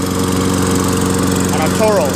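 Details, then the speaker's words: Toro Recycler 22" self-propelled mower, 6.5 HP Tecumseh single-cylinder, after clearing a hydrolock (oil in combustion chamber) and carb clean with new needle, float, gasket, bowl and fresh gas: steady even run with firm regular beat, no misses or rattles; healthy. "I'm gonna pull it a few more times to clear it some more and then I'm gonna try it started pulled it Bob about five times pretty hard some more oil came out"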